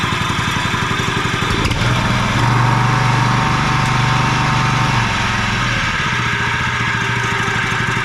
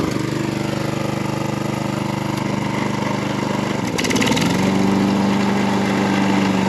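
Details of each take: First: John Deere 14SB walk-behind mower just restarted after sitting, new fuel line and filter, 10W-30 oil: steady running with a thin whirring whine from a dry, worn blade brake clutch bearing (6205), later replaced. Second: Garage-sale John Deere 14SB mower, test run after cleanup, a new fuel line and a new 6205 bearing in the previously noisy blade brake clutch. Even single-cylinder chug rising smoothly in pitch, with no grinding from the blade clutch; runs healthy.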